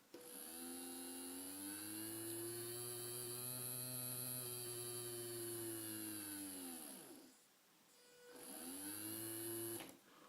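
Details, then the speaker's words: Arduino starter-kit small DC motor with speed set by a variable resistor: whine rises and falls as the knob turns, drops away, spins up again; speed control working normally. "constate bien une variation de vitesse. On entend la fréquence du moteur du bruit de moteur qui se modifie, donc il y a une variation de vitesse."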